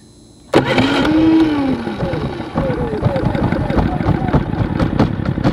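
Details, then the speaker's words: Harbor Freight Predator 3500 inverter generator, started after sitting a couple of weeks: quiet, then a sharp catch and quick rising note as it spins up into a steady even hum; clean start and healthy running. "we're going to go ahead and let's start it up and let it run for about two minutes because i haven't run this in a couple weeks so let's put it on"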